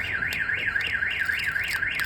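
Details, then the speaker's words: 2005 GMC 2500 HD diesel pickup with a newly installed Viper alarm and remote start. Its additional little siren is sounding. High warbling siren sweeping up and down about four times a second, clean and steady; working as it should. "you don't trigger it this also has a little siren it beeps [Music] is going on"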